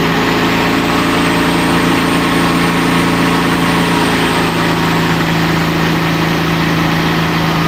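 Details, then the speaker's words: Tuned performance engine after timing was added: steady, even idle sitting noticeably high and not settling; so much ignition advance the idle table had to be raised, high idle from excess ignition advance. "i had so much ignition i had to raise the e table"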